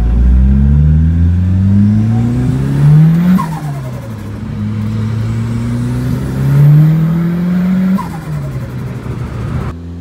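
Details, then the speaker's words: Ford Escort RS Turbo CVH, Cosworth EFI management, after Newman stage 4 camshaft fitted and gasket sorted, boost raised, drive-by in cold air: clean, even pull through two gears, no stutter or popping; misfire gone, pulls to the limit. "that cam has made a huge difference no more misfiring their car pulls all the way to the limit"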